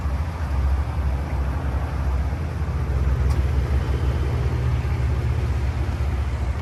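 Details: 2005 Chevrolet Silverado 3500 dually 4x4, 8.1 L V8 at 26,082 miles, fully serviced, just started and idling: deep, steady low rumble with an even beat and no knocks or ticks; normal healthy idle.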